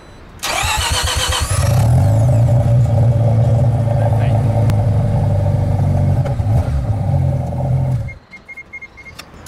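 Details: Car after starter motor replacement, final test: brief crank of about a second, then the engine catches cleanly and settles into a steady, even idle; normal start.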